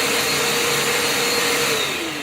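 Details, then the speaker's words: Makita VC2512L/VC2012L shop vacuum running normally at a measured 70 dB against a rated 75 dB: a steady, even high motor whine that drops in pitch as it winds down, with no rattles or grinding. "That's 70. They have it at 75 dB, and you're supposed to have 80 wear hearing protection, so it's touch below. But definitely put hearing protection on for this. It's not the quietest, but I couldn't find any."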